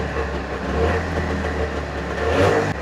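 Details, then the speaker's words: 1989 Trabant 601 S Combi, 600cc two-stroke, revived after sitting on a farm, small drip noted; busy even two-stroke buzz rising and falling cleanly with throttle, no misses or knocks, running healthily. "Runs like a watch pretty much."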